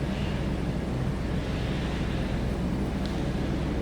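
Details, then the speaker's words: 1998 Chevrolet Blazer LT 4x4, likely a 4.3 V6, recorded at the rear tailpipe; even steady low exhaust drone with no ticks or misfires; normal idle. "Slipped around the back here this run. Sounds like a 4.3. What you'd expect."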